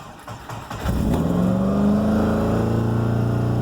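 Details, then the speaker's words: Subaru Forester just given new coil and plugs, ECU faults cleared, new part fitted after rough running; cranks, catches, then races to about 4,000 rpm and holds a fast high idle without settling, so shut off: high idle. "We do not like that. $4,000. It's coming down. Yeah, no. I'm gonna go ahead and cut it."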